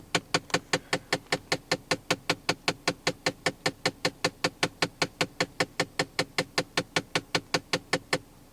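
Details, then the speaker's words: Ford Fiesta climate control: with blower set to dashboard vents, rapid evenly spaced clicking behind the dash for a few seconds, then stops; door actuator gears were stripped, actuator replaced under warranty. "if you went to go put the blower on the dashboard vents it would make this annoying clicking noise if I turn it on so it just comes out this way you'll see that it that it clicks"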